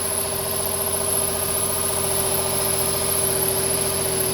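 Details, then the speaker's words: 2007 Nissan 350Z at idle: a steady high-pitched squeal sits over a smooth idle and does not change; source unknown. "y escuchando ese ruidito qué es eso"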